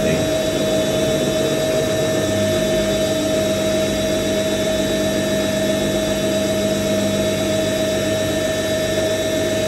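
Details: IKEA RENLIG IWM60 integrated washing machine, new to owner, maiden Cottons Standard 60ºC SuperQuick wash of darks; steady high motor whine with gritty rough undertone during spin around 850 rpm while distributing; worn motor bearings.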